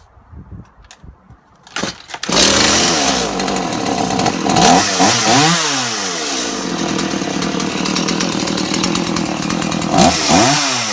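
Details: Stihl MS 180 chainsaw after rebuild, carb adjusted, bar and chain hung, oiler fixed: fires after a couple of pulls and revs up and down cleanly without stumbling; healthy running.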